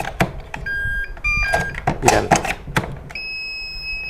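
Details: Mini charger for Makita 18V batteries: short electronic chime tune then a steady held beep with handling clicks; selectable charger alert melody working normally.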